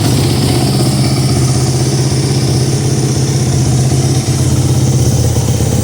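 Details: 2009 Kawasaki KX450F dirt bike on first start after a crankshaft rebuild, freshly oiled, fuelled and with coolant: a loud, crisp single-cylinder idle with a steady fast beat and no misfires or rattles. No leaks, no smoke, throttle very sensitive; normal running.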